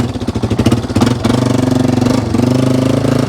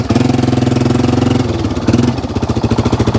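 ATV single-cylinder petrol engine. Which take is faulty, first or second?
first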